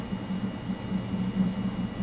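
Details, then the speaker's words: Desktop PC hard drive seeking during a Windows XP Service Pack install on a rebuilt computer: soft, irregular low thumps bubbling over a faint hum, more thumping than clicking, like a percolator or coffeepot; normal hard drive seek noise. "more like it's thumping than clicking that's the coffeepot noise I was talking about"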